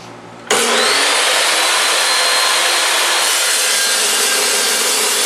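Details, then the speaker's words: Rough, loud, harsh high-pitched rasp as a carbide-tipped saw blade cuts stock for a milling machine stand; sounds like broken teeth on the blade, so the blade needs replacing. "that to me sounds like I've got some uh broken teeth on this blade so I think it's time to replace this blade"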